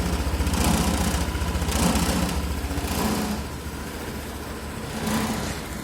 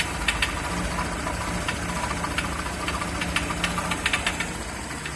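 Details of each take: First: Honda PCX150 single-cylinder idling steadily then rising and falling with throttle blips, running evenly without knock or rattle after the clogged catalytic-converter exhaust was replaced and compression retested; normal running. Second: Honda PCX150 scooter with engine noise and lack of power: uneven sharp knocking, about three a second, over a rough idle, sounding like rod knock; cause is a clogged, loose-insided catalytic converter in the exhaust, to be confirmed with a compression transducer test.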